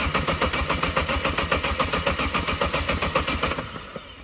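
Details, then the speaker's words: Vauxhall Corsa VXR, replacement engine just fitted after a suspected blown head gasket, with fresh oil and the fuel pump fuse removed: even, steady cranking at about 220 compression beats a minute with no catch or grind, then spins down; healthy cranking without firing. "Just gonna give it a crank. I've removed the fuse for the fuel pump, so hopefully it doesn't start."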